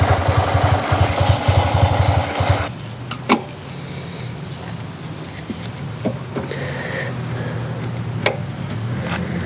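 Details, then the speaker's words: Yamaha TMAX scooter being restored, first start after reinstalling ignition and spark plugs: uneven stumbling putter then faint unsteady idle barely holding on; rough running, owner suspects clogged injectors or air leak. "oh my God it's running barely it seems to be easier to pick up"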